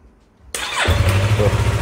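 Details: Yamaha R25 with intermittent no-start (starter just clicks); relay already replaced: brief starter whir then engine catches and settles to steady rapid idle; starter motor suspected faulty since tapping it made it start.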